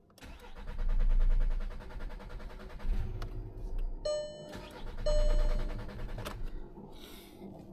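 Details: Audi S3 that sat unused for a couple of months, after replacing a blown fuel pump fuse (seized fuel pump suspected): starter cranks steadily in several bursts but never fires; fault codes show fuel rail pressure too low, fuel delivery problem suspected.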